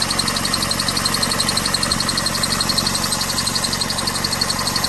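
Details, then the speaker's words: 2001 Toyota Corolla 1.8 idling with the clutch pressed and the dust cover removed: quick, regular bird-like high chirp, about four per second, heard with a screwdriver. Owner wonders whether it is the engine or the tensioner. Chirping noise at idle with clutch pressed. "Ok, escuchen el ruido, a ver qué opinan. ¿Será el motor? ¿Será el tension? ¿Será el motor? Okay. ¿Cómo se oye ese ruido? Es un ruido extraño."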